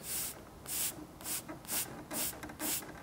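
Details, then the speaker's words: Air system on a Yellow Aircraft F-16C RC jet build: bursts of hiss about twice a second coming and going as the air hose is moved; likely leaking at the fitting, owner suspects filler valve. "yeah pretty sure it's not supposed to make that noise when I move the hose"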